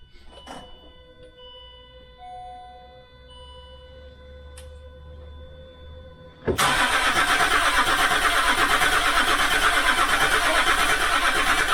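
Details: Land Rover Discovery 3 2.7L TDV6 diesel after full engine rebuild, fuel pump relay reconnected and faults cleared; quiet chimes then steady cranking near three beats a second that never fires; no oil pressure on this attempt.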